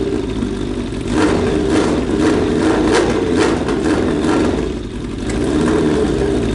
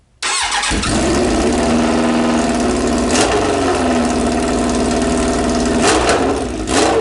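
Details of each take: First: Suzuki Bandit 1200 with a cheap eBay exhaust, its mounting bracket pulling through the bushing: the engine settles into a steady, even idle with smooth throttle blips. The note is deep and slightly quieter and more muffled, with nothing rattling; it sounds healthy. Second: Suzuki Bandit 1200 with no muffler fitted, carbs still needing work: cranks, catches and runs loud, raw and rough with a sharp bark and a few revs; open exhaust.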